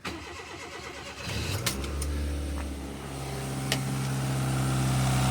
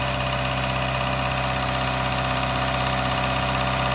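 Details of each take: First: Daihatsu Mira turbo engine cold start in freezing weather: crank catches and settles into a rising idle with a faint quick tick about four a second; owner suspects lifter noise, also reports turbo smoke and a rattle at the top. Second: Daihatsu Mira on a cold start after sitting about two weeks, after adding a Prolube oil additive for lifter ticking: a steady, even idle with no top-end tapping, so the ticking is gone; a squeaking alternator belt is noted.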